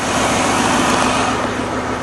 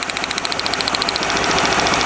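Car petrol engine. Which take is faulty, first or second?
second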